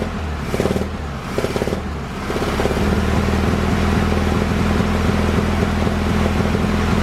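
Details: VW Bus air-cooled engine after fuel lines were replaced: a few throttle blips, then a steady even putter holds at idle without stumbling; normal idle, though fuel still leaks at the fuel pump.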